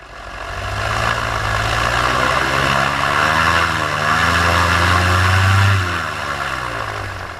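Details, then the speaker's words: Paramotor two-stroke engine in flight at full throttle before later power loss: strong steady high-revving buzz, pitch even with only slight drift, RPM holding steady; normal full-throttle run. "I want you to actually listen to the RPMs of the motor and what it sounds like at Full Throttle so you can compare it to later on in the"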